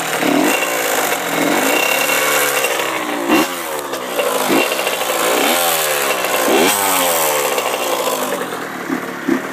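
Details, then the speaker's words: Honda CR85R two-stroke revving up and down with a light ticking in its rattly note before shutting off; it lacks power and powerband and is also leaking antifreeze; cause unknown. "cr85r um making ticking noises and it doesn't have powerband i'm not really sure what could be wrong with it"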